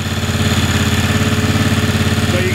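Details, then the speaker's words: Briggs & Stratton 18hp Vanguard V-twin on an Ingersoll 448 riding tractor, running with the STENS air filter before the more restrictive OEM filter is placed on: even, steady idle with regular firing pulses, no misses; normal idle. "can hear the engine's running fine"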